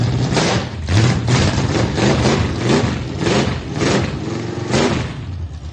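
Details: Oldsmobile 455 V8 first start after being resurrected: engine catches and settles into a steady, even idle with a few light revs; sounds healthy, normal idle.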